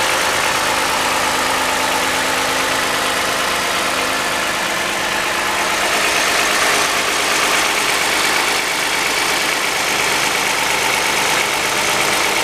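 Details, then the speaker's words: 2014 Toyota Highlander 3.5L with 92,000 miles and one quart too much oil, cold idle just after startup: a light, uneven metallic clatter a bit louder than normal that then quiets down; suspected valvetrain noise before oil pressure builds. "I'm putting the camera back over here it sounds a little bit louder than normal"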